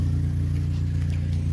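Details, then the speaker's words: Neglected, overheating Honda Civic with a hack-job exhaust after a failed catalytic converter, warm start idle: loud, deep idle with a rapid, steady puffing pulse, an exhaust leak right under the engine, possibly contributing to overheating. "you can clearly hear the exhaust leak right under the [ __ ] engine which might be one of the reasons why it's overheating"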